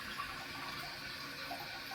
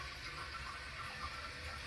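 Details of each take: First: Toilet dripping and refilling by itself for months, tested with a Korky Universal Ultra 2" flapper: a constant hiss and trickle of water into the bowl that never stops; the chain is stuck underneath the flapper, so it won't seal. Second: Toilet tank refilling after a flush while the owner suspects a leak at the old Fluidmaster flapper (to be replaced with a Korky Universal Ultra 2"). Steady, gentle hiss and trickle with even flow and no gurgle or squeal; a normal refill.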